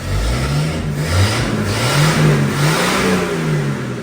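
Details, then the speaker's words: 300 inline-six, first start, running without a muffler: strong even low rumble climbs and settles smoothly with each throttle blip, no knocks or misses; engine starts and idles well, normal revving. "that sure does start nice an idle already it sounds a lot better with those I don't even know if I need R let's go I don't even know if I need a"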